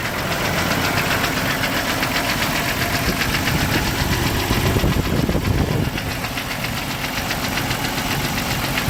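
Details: 1998 Jeep TJ Wrangler with a 4.7L Summit Racing stroker, about 50k miles, pistons replaced but not wrist pins: rough idle with a loose, uneven metallic rattle about four beats a second; owner suspects wrist pin or piston slap, unconfirmed.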